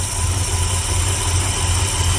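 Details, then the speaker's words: 1972 Ford F100, 390FE V8, just swapped from a Holley 600 cfm carb to an Edelbrock AVS2 625, automatic choke wired off, no adjustments made: a deep, steady, even idle with no stumbles or misses. "it's started it's running and it's idling so we'll see how it goes"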